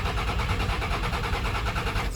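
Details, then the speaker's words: 24-valve Cummins truck after a wreck: steady rhythmic cranking pulses that never catch or speed up; cranks but won't start. Owner suspects fuel filters needing priming or the in-tank fuel pickup, an earlier issue; not confirmed. "Oh yeah, that don't sound good. Ugh. Sounds like something with the fuel filters. Maybe they need primed or whatever, but not sure, guys."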